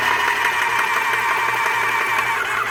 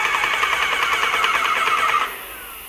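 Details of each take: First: Graco airless paint sprayer running with intake in a bucket of water, prime valve off to build pressure after filter-housing O-ring repair: steady motor drone with fast, uneven pump chatter, no seepage but not reaching maximum pressure; worn pump packings suspected. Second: Graco airless paint sprayer after the packings were replaced, reaching about 3,200 psi with no filter housing leaks. Steady fast pulsing hum with a mid-high whine and even strokes, then a clean shutoff; the pump is building pressure normally.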